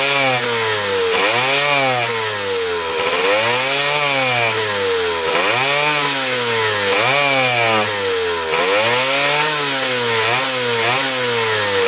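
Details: 1977 Kawasaki KE100 two-stroke enduro, first run after 10 years parked: blips up and falls back repeatedly, revs sagging between bursts, won't hold idle; air screw turned in, owner suspects gas cap vent.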